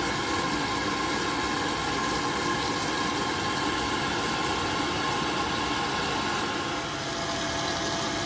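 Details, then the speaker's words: Boiler fan running at max rate after repair, burner refitted, torqued and gas reconnected: steady even hiss and hum with no rattle; the earlier motorbike-like fan noise is gone. "Fans never sound great on camera, but as you can hear, the noise has gone"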